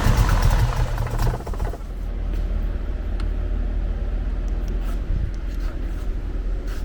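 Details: Nissan Skyline GTR R33 RB26 on gasoline with a new FuelTech ECU map calculated for flex fuel: catches with a loud uneven burst, then a lumpy, wavering idle; running too rich, so fuel cut 30%.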